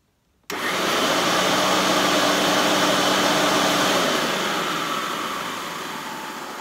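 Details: Hoover Turbo Power UB088 upright vacuum before disassembly, switched from low to high mode: motor spins up sharply to a steady high-pitched whoosh and holds an even tone; running normally on high, though the brush roll belt is very loose.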